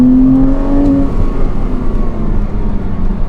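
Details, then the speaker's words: Porsche 987.1 Cayman S Sport track-day build with lightened single-mass flywheel and heavy-duty clutch: quick blip dropping back fast with light whirring hum from the flywheel — normal free-revving engine. "we've put a lightened fly on it single Mass fly which makes the car really rev up that much Freer without that Mass on the flywheel"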